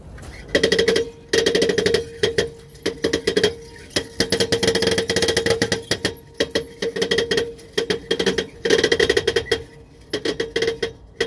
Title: Bad bearings making music peterbilt steer axle